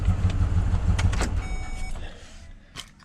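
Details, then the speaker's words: Truck engine after reassembly, O2 sensor cleaning and intake cleaning: it runs much better and the warning signals are gone, but a steady low knock of about three per second persists under idle and through the rev. Cause is unknown; the owner will have a mechanic check it. "but it's sounds a lot better A lot better and all those signals uh went away yeah but you hear the knocking yeah it's still"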